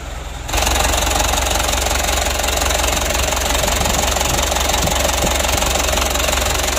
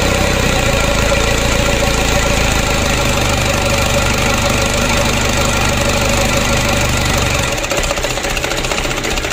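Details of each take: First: Mitsubishi Canter diesel re-overhauled after only 5 months (oil burning, cracked piston), after rebuild, idle raised while the injection pump is being adjusted: steady idle clatter with an uneven shake of about three pulses per second, still vibrating; rough idle, cause not confirmed. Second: Mitsubishi Canter diesel engine re-overhauled after only 5 months (oil burning, blow-by, cracked piston), first start after reassembly, cold: even diesel idle clatter of about three beats per second, steady with no misses or heavy knocks; normal diesel idle.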